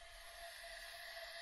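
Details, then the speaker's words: BMW S1000RR engine on the bench during a leak-down test: steady airy hiss with faint whistle as air escapes past a slightly leaking inlet valve, possibly dirt or a nicked seat; seats to be checked. "we're hissing through the inlet valve so I know that inlet valve is leaking ever so slightly could be a little bit of dirt and it could it could be a little nick on the seat"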